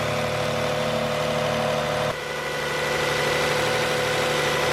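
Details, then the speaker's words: Camry after throttle body cleaning for rough idle and morning stalling (possible carbon buildup): started after a second attempt with white smoke from cleaner burning off, now idling steadily and evenly with no stumbling. "Alright, so as you saw, everything started pretty seamlessly."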